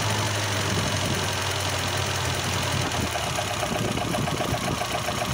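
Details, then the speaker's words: Volvo B20 petrol engine at idle, running unevenly and sounding diesel-like: worn timing gears (fibre gear) make ignition timing jump around, causing knocking and rough idle, especially at idle. "听起来像柴油不均匀。到处乱跳表明正时齿轮明显磨损它会使发动机爆震正时齿轮本身磨损所以点火正时弹跳特别是在怠速时"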